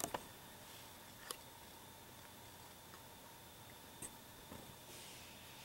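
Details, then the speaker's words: IBM ThinkPad R51 laptop that had refused to boot with a "fan error", after disassembly: hard drive spinning up as Windows starts, faint steady whine with scattered soft seek ticks and clicks. Normal hard drive operation. "you can hear the hard drive moving um there's our RAM and windows is starting up"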